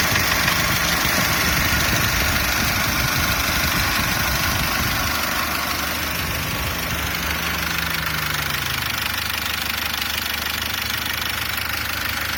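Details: SsangYong Actyon Sports 2 with DTR2.0 diesel at idle: a regular sharp tapping knock, about three a second, rides steadily over the diesel clatter; engine knock, source undetermined.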